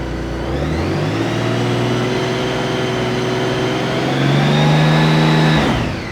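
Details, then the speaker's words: 2016 Honda Gold Wing after switching from synthetic to conventional oil: smooth, even hum climbing steadily in pitch with the rev then dropping cleanly, no knocks or rattles. Normal start and rev. "Oh, she purrs like a kitten. She ready."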